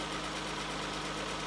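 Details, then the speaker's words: 1994 Ford Probe GT, about 144,000 miles, idling while warming up: a smooth, even hum with no knocking, ticking or vibration; owner chases an intermittent oil-pressure drop at idle and suspects the sending unit or oil pump. "I don't really hear any excessive knocking. I don't feel any vibration, crazy vibration in the engine at all."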